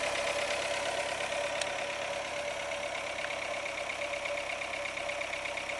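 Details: Renault Logan 1.6 8-valve 2007: sharp, fairly quick tapping knock over the revving engine; has been driven about 20,000 km with the knock, cause unknown.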